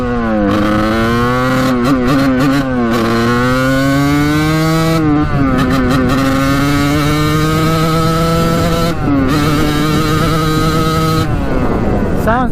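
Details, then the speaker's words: 1989 Kawasaki KX125 two-stroke after power valve replacement, riding with needle clip moved up: revs out better but intermittently breaks up and cuts in and out near the top; owner suspects still too rich, may raise clip another notch. "moving the clip up words on the needle definitely improved it revs out now but not all the time you can hear it kind of like in and out of revving up high"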